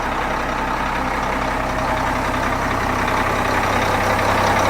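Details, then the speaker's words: Changlin PY165H motor grader, rebuilt Cummins C-series-type diesel warming up, oil pressure 1.6 MPa: loud steady idle at an even beat about 160 per minute, no misses or knocks; breathing nicely after rebuild. "See, this baby is breathing in and out nicely. He's a happy boy."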